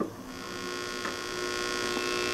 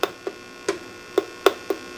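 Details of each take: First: 6SL7 preamp tube, triode one, tested in a D-Lab Micronaut II microphonic analyzer; low steady hum, light taps stay short and dull with no ringing; normal quiet triode. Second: 12AX7 preamp tube tested in a D-Lab Micronaut II microphonic analyzer with audio monitoring; sharp irregular pops and clicks, two or three a second, over a quiet background; microphonic tube with loose internal elements.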